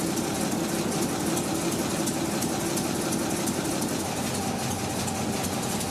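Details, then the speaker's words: 1952 REO M-35 truck, REO 331 CI gasoline inline six, after cylinder head replacement: even, quick idle holding too high; carburetor needs adjustment, fuel pump also needs replacing or rebuilding. "also you may notice that it doesn't sound right it seems to idle very fast both problems are due to the carburetor needing adjustment"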